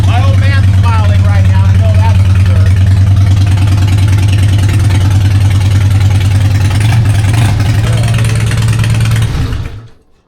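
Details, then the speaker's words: 2004 Harley-Davidson Fat Boy, 59,000 miles, first start after sitting over a year with the battery reconnected and the fuel pump priming: an even, loping V-twin idle with a steady beat and no knocks or misses until shut off; sounds healthy. "What do you think, man? Sounds very healthy. Sounds good, right?"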